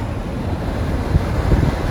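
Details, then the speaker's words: Toyota RAV4 Prime with Vanguard roof rack and custom front wind fairing, inside cabin at highway speed with moonroof open: only soft even low rumble, no whistle or vibration; almost quieter than without rack. "And this is it with it open. It is incredible. I think this is actually almost quieter than OEM. Quieter than if I did not have a roof rack."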